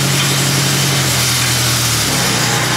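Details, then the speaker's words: LeeBoy 635B motor grader moving: steady harsh grinding rattle under the engine drone, sounding like the chain case; worn drive chain and bearings. "oh it sounds like a chain case to me"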